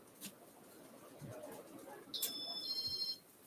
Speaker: does beep as always, but I'm just going to turn it down so